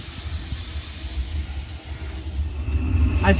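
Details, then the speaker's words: Steam locomotive Mad Bess, Ruislip Lido Railway, at full pressure near the red mark before the day's service: a continuous rushing hiss over a low rumble, building, as the safety valves lift nicely to release excess steam pressure. "We're now at full pressure, very near the red mark, and you can probably hear in the background if I go outside. You can just see there the old steam valves lifting nicely, which is allowing excess steam pressure out."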